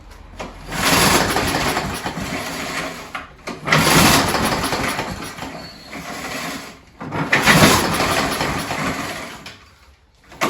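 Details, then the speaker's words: Scott Bonnar mower, Briggs & Stratton Sprint 375 4-stroke, three primes, throttle mid-way, fuel confirmed priming: three long pull-cord swooshes a few seconds apart with no firing pop; turns over but won't start. "You know, it's really interesting how this mower fired up before but then cut out. I think what we should do is we we know it's priming the fuel. Let's check the spark and see how good the spark actually is in this mower, and we'll take it from there."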